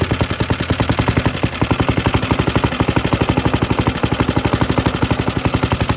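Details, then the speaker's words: Suffolk Super Punch 17-inch lawnmower: rapid uneven popping about four beats a second, stumbling, won't keep running; spark confirmed okay, owner suspects carburetor needs cleaning. "strange it runs and dies that's an old symptom"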